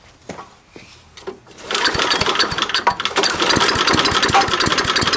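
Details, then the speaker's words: 3.5 HP Tecumseh small engine after a tune-up: the main jet screw was turned out (no help), then in a little. Rough catching at first, then a fast, buzzy firing that settles and holds steady. Normal running. "As you can hear, the engine is now running very well. I didn't use any complex methodology to figure out how to tune the engine."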